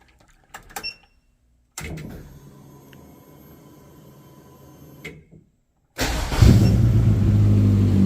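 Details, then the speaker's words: Turbo Metro (K-series) after reconnecting a missing ignition live in its wiring loom: it starts and settles into a smooth, steady idle with no misfire. Normal idle. "so there you go all what a nice and smoothly now"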